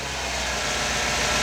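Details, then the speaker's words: 1999 Chevy Tahoe after new O2 sensor and new crank timing sensor (timing had read about 22 advanced, spec around 0–2). Even, steady idle with no popping or misses under hissy background. The pop is solved; normal idle. "Well, she's running. We got that new O2 sensor in. We got the new timing sensor in. Burn like a kitten."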